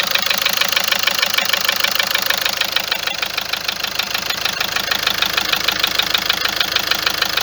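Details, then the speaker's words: Car that started ticking on this morning's cold start after a trip to Algeria, about four days ago; engine doesn't vibrate: steady fast ticking about two per second over smooth idle, never fading; owner suspects injectors and tappets, unconfirmed. "المشكله الصوت هذا دائم، ما ينقص ما ينقص ما والو، يقعد كي من هذا."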